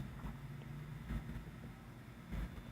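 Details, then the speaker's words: 1931 Emerson desk fan, Model 29646, on the repair bench with temporarily connected speed wires, still uncleaned. Soft, steady hum and air rush with no rubbing or wobble on medium speed, drawing 820 mA and 58 W. Normal running. "and our medium we're drawing we're drawing 0.8 ohms I am so 820 milliamps and 58 watts so you see it's running fine"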